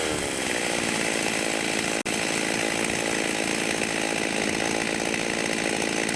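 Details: Vintage 1989 Husqvarna 50 two-stroke chainsaw, sat years with old gas and wouldn't run, after carb clean, first start in years without choke: crisp, even buzz held steady with no stumbling or surging; normal running.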